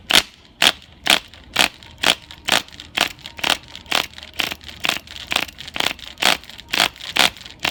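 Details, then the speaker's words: Sportwerks .05 cu in nitro engine from a Sportwerks Chaos 1/16 RC car, no flywheel, fuel primed: sharp even snaps about twice a second while cranking, never coughing; worn cylinder has no compression, needing sleeve re-pinching. "Piston moves up and down with no real resistance. So what I've done is I've sprayed a bit of fuel in the carburetor."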